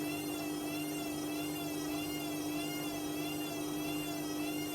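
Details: Hotpoint WMA50 washing machine after a new suppressor was fitted, final spin with a small load: steady motor whine with an even pitch and a faint regular swish, no grinding or banging; normal spin.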